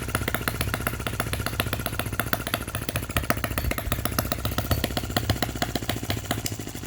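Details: Miniature Lister D working petrol engine (OKMO/Retrol), first run after first-pull start, belt on pulley, with fresh sump oil, petrol and hopper cooling water: quick, even popping with light mechanical clatter, steady throughout. Running sweetly, normal.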